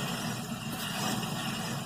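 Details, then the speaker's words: Rear wheel bearing on one side of a car, worn, heard while driving around 35–50 mph: a steady, low droning rumble like an old plane flying overhead, not tyre noise; confirmed by spinning the wheel and feeling it through the coil spring. "this one isn't the tire this time this one is the wheel bearing sounds like an old plane flying overhead when you drive it"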